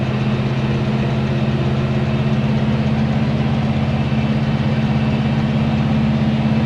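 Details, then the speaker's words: 1970 Chevy C10 pickup, 327 small block with HEI distributor, after fixing ignition timing that caused rough running and hard starting: steady, even V8 idle with a smooth regular beat and no misses, stumbles or pinging; healthy. "I think that's a happy old guy right there"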